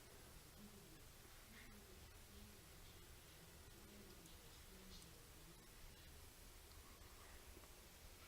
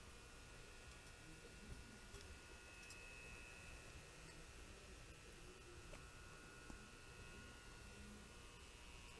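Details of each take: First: Newly installed 1500 W baseboard room heater warming on a 2600 W-rated electronic wall thermostat: quiet room tone only, no buzz or hum. Normal silent operation after replacing an underrated thermostat that had caused buzzing. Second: Constant electrical buzzing hum from a newly installed baseboard heater, only while the heat is on; the electronic wall thermostat is rated below the heater's power, so it is overloaded and a fire risk. Fix: use a higher-rated thermostat.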